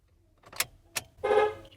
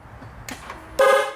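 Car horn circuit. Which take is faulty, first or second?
first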